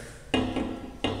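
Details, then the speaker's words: Cast iron handwheel from a Kearney and Trecker Autometric jig bore, cracked in two directions, being weld-repaired: tapped, it gives a short flat clank that dies fast, like a cracked eggshell, unlike the solid ring of the welded one. "it's kind of flat you hear that it's kind of like an egg shell that's already cracked is what it sounds like so it's not real stable right now"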